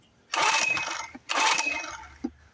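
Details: Neglected outboard motor being revived, on manual choke, with fuel pump and carburetor needle uncertain: two short, sharp bursts about a second each that die away right after; it catches briefly on the second pull but won't stay running.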